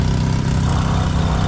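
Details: Nissan vehicle that would not start, now running after a fix with jumped battery connections: steady low rumble with an even beat, no knocks or misses; smooth normal idle.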